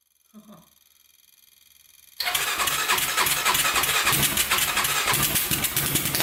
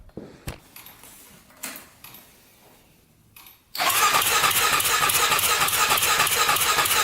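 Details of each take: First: 1999 Honda 400EX quad with a newly fitted turbocharger, fuel pump added and carburetor lines hooked up: catches after a pause and revs crisply and evenly, pulling cleanly and seemingly making boost; normal revving, one intake hole still to patch. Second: 1999 Honda 400EX quad, newly turbocharged, carburetor fed by added fuel pump: engine catches after pause into fast steady popping with hiss; runs no better, carburetor needs pressurizing, leak found.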